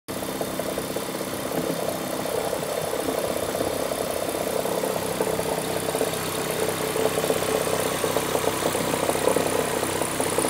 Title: E46 m54 strange knocking/rattling sounds